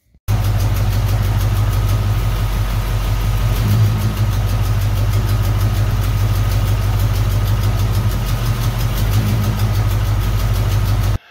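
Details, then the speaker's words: Supercharged old truck V8 with brand-new plugs and wires, idling lumpy: cylinders 2 and 6 dead, found by pulling plug wires, possibly valve train; light fast tick from leaking new header gaskets. "Well, we have two dead cylinders. Cylinder 2, cylinder 6. They ain't doing a dad blame thing."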